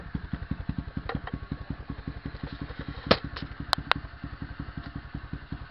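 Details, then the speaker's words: SSR pit bike single-cylinder warming up after new CDI box fitted: even thumps about eight beats a second, steady and smooth; owner hears more power; normal idle. "Oh yeah, I can tell there's way more power now. Yeah, there's a lot more power."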